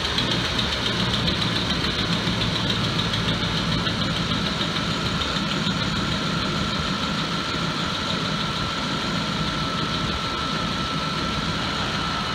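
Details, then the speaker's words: 2004–2008 Ford F-150 5.4L V8 after alternator and drive belt replacement, air inlet horn off: smooth steady idle, even whir from front, no squeal or vibration, charging 14.2–14.3 V; normal idle. "So the alternator is charging at 14.3, 14.2. So it is functioning. It sounds good. There's no noise at all, and there's no vibration."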